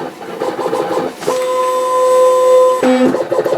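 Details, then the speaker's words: Cutter motor whine that shifts pitch, then uneven chatter as it feeds; the material slipped on the roll while being pulled, likely ruining the cut. "t noise that means that it's pulling on that roll and it slipped so that'll probably screw up the cut so we just wasted a bunch more"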